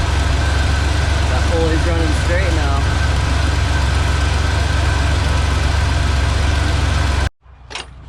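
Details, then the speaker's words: 1997 Ford Ranger after replacing the belt and tensioner/idler pulley: even, steady idle with no chirp or squeal from the belt before shutoff; normal idle, belt squeal fixed. "let's start her up [Music] no more sleep no more squeak"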